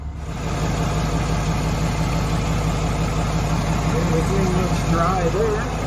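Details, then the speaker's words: 2022 RAM 2500 Cummins 6.7 diesel started right after oil and filter change (3 gallons), watching oil pressure build: smooth, even low clatter, steady idle, no knocks, misses or hunting; healthy diesel idle. "Okay, we're going to start it up and we'll watch for oil pressure to build."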